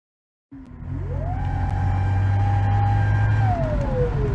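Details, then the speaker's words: Clear whistle climbing sharply with revs, holding, then sinking as the engine slows; first taken for a fan, it is a bad turbo on a car with a recurring cylinder 4-5-6 misfire, to be sold with the bad turbo. "That noise was we thought it was like a fan, but it realistically it's it's a turbo. And and the reason why that turbo sounds like that, not like, you know, making cool noises like this. It's because the turbo is bad."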